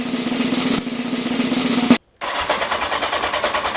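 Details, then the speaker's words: Kawasaki Z750 starter motor just rebuilt after years of squealing and crunching, brush cap orientation corrected; starter spins with a steady even whir without dragging, then quick even pulses as the engine catches; starter working properly. "Nice. Spins beautifully."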